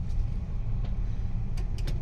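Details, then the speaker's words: Mitsubishi New Cedia 4G18 engine with an LPG system fitted three months earlier, running on gas: low, uneven beat with ragged stumbles and choking, no power; gas installer suspects the coil; rough running and sputtering on LPG. "อันนี้คือสำลักแล้วผมว่าสำลักแก๊สอันนี้แก๊สอยู่"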